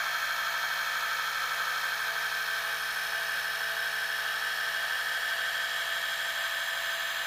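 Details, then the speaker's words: Gakken Premium Gramophone kit, spring motor fully wound, bare mechanism with other parts removed, after greasing with Thomas Edison phonograph grease recipe: steady even whirring, no knocks or rattles; gear train runs smooth and noticeably quieter than before. "So not only does the Thomas Edison lubricant that we used here, not only does it lubricate, but it also quietens all of these different parts in here and makes them run nice and smooth."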